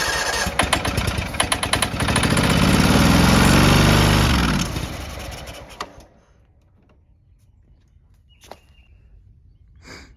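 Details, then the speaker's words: John Deere X304 lawn mower, sat probably two years, full throttle and choke, ether sprayed: fires and runs rough while sprayed, swells, then fades and dies; no fuel reaching engine; fuel starvation. "so as you can tell our little ether trick it uh caused us to realize that we have no fuel and but if we give it fuel it'll run"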